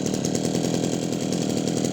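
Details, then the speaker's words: Yanmar (Kyoritsu) 209D small two-stroke, restarted without choke once the flooding had likely cleared: a steady fast idle buzz that fires slightly unevenly while the speed holds level; the jumpiness is normal firing, so the idle is normal. "มันก็นิ่งด้วยมครับนิ่งหมายถึงรอบนิ่งนะครับไม่ใช่อาการเครื่องนะเครื่องมันกระโดดันนี้เป็นปกติอยู่แล้วเพราะมันมีการจุดระเบิดของลูกตูกนะครับ"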